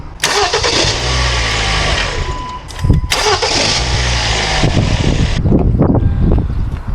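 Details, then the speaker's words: 2013 Kia Forte 2.4 L four-cylinder, intermittent crank-no-start with no ECM communication after engine detailing; after a key cycle: short cranking, then a clean catch into an even idle. Normal start. "okay so it starts up let's try it again okay so now it starts every time"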